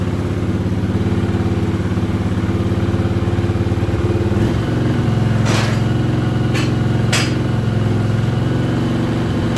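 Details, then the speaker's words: 1979 Honda CX500 Custom twin, not run in 2 years, after a carb rebuild, started with a little choke: steady low idle broken by a few sharp pops; backfiring of unknown cause, and richening the mix screws is considered. "I'm not sure what the backfiring is all about. I never used to do that. So, we'll just have to wait and see how it clears up."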